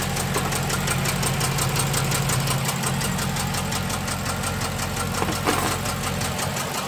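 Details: 6.1L SRT8 HEMI V8: uneven idle and running with irregular stumbles and a light fast ticking on top; random cylinder misfire, cause not yet found.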